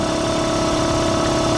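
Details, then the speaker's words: Air compressor after pressure switch rewiring and electric motor wiring reconnected, plugged in with cap off; steady even hum, constant tone, no knocks, surges or rattles, everything working. "let's go ahead and plug it in and see what happens and then i'll put the cap on well looks like everything's working"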